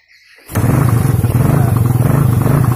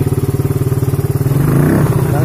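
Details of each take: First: Suzuki Satria FU third-generation motorcycle, hard to start in the mornings, started without a battery: fires instantly and settles into a strong, even, slightly high idle; normal start and idle. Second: Suzuki Satria FU third generation, hard to start in the morning, running without a battery: fast, even chuffing idle, already slightly high, that only creeps up and flattens when the throttle opens; won't rev without the battery.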